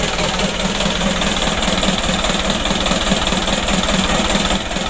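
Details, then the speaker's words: Mitsubishi Canter HDL 136 PS diesel in a tour bus, burning heavy oil and due for piston ring replacement, heard at first start before repair. Even diesel clatter at a steady idle, about 2.5 beats a second, no odd knocks: normal idle. "Hai Abdillah untuk mesinnya sudah hidup Ya ini hidup awalnya seperti ini"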